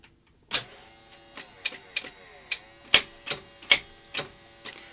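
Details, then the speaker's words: Philips N1502 VCR (N1500 format) garage find, first deck test with a tape inserted. Irregular light clicks and ticks are heard but the tape does not lace. A lacing drive belt turned out to be missing. "what should be happening when you put the tape in is it should lace up so it sounds like there may be a problem in the lacing uh motor gearbox or drive belt"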